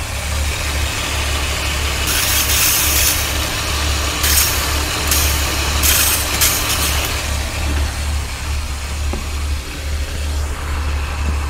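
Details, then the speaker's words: Ford Taurus with misfire and lean condition, microphone held close: a rough, uneven idle with a sharp airy hiss that swells in bursts. The leak is a cracked vacuum hose, found during the water test. "이거 들리나? (예) 이 뒤에 금이 가 있어 바로 내 손 닿은 곳 말이야"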